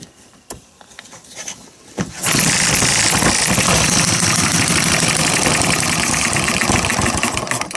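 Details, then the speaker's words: Miniature hit-and-miss engine spun over: breathy hissing puffs about four a second instead of firm compression strokes as compression leaks past the piston rings; owner suspects it may need a sleeve. "I can hear it leaking compression past those rings so that's not good maybe it needs a sleeve"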